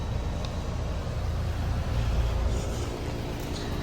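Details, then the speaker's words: Newer 5-ton condenser manufactured February 2026, apparently a Copeland scroll compressor and Lennox ECM fan motor: smooth steady low hum with even fan rush, no knocks or rattles; normal running. "Sounds like it has a Copeland Scroll compressor. Lennox ECM fan motor."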